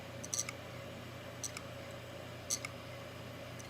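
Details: Brand-new eBay hard drive tested cold on another PC: quiet hum broken by sharp click bursts about once a second; still not detected, failed drive.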